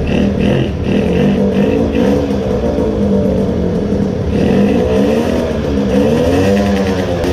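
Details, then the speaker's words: 20 hp moped two-stroke engine, after fitting a smaller main jet and drilling the Chinese carburetor: high, hollow scream at full throttle with a thin, wandering tone instead of pulling cleanly; runs lean at full throttle but fine at part throttle. "and this is how it sounds like when it doesn't get enough juice now it is again lean. but on part throttle it was good."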